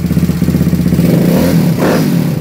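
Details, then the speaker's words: 160 4S YX pit bike with untuned carb and idle, test bike; revs up cleanly and drops back with a light even ticking from the shim-adjusted valves, nothing abnormal; normal valve clatter. "Tout est ok, il n'y a pas de bruit bizarre. Le petit bruit de t'entends, le petit cliquetis, c'est simplement le fonctionnement des soupapes. Hein, parce que c'est des pastilles là-dessus. Donc, il n'y a rien d'anormal."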